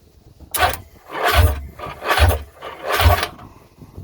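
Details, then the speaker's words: Old two-stroke jet ski that sat for years, cranking with spark plugs reinstalled. Heavy, labouring strokes a little over once a second, never catching; slow cranking, battery suspected. "that may just be the battery but um it's kind of struggling there to turn over with the oh with these spark plugs in it"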